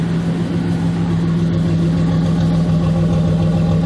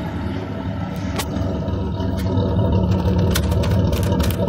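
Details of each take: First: GMC Jimmy with 4.3 Vortec V6, brought in for vibration, high fuel use and fuel smell, after repair, completely cold, heard at exhaust: steady low hum with even unbroken pulse, no stumble; normal smooth idle. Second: GMC Jimmy (same as Blazer/S-10) with 4.3 Vortec V6, owner reports strong vibration, high fuel use and fuel smell; low, lumpy idle stumbling three to four times a second, running rich from fuel leaking under the intake; codes P0300, P0401, P1133.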